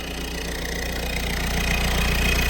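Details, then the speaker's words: Peugeot 1.6 HDi (BHY) diesel idling normally after replacing a faulty thermostat housing with integrated electronic module that caused a no-start with codes P2669/P2670; warning lights still on, but it now starts properly; steady even clatter, no misses. "Okay, so we got some warning lights though, but it now starts like it's supposed to."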